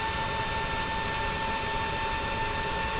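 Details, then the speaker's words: Creality Ender 5 Plus 3D printer after installing a silent mainboard, printing: only a soft, steady power-supply fan whir with a faint high tone and no stepper motor whine. Normal quiet printing. "'s printing right now and you can't even hear the motors it's uh motors are all dead quiet only noise now pretty much is the fan on the meanwhile power supply"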